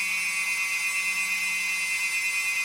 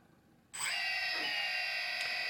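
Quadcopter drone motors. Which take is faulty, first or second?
first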